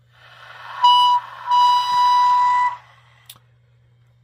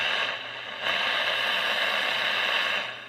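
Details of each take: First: Cobra 142 GTL CB base station with a steam-train-like whistle when the volume is above 3/4. A clean, steady whistle near 1 kHz in two bursts over a low hum: interference fed into the audio through poor mic plug shielding. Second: Cobra 142 GTL CB base station that squealed with a train-whistle sound at 3/4 volume or more, after the fix, at max volume: only a soft, even hiss with no whistle or squeal. The receive audio is clean.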